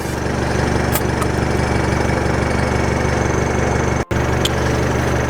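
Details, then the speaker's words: Permanently installed onboard air compressor cutting in to top back up with the vehicle engine idling: even pulsing hum of about four beats a second over the steady idle; normal compressor operation. "we'll do the normal compressor first, and then I'll do with the tank, so we'll see which one's quicker."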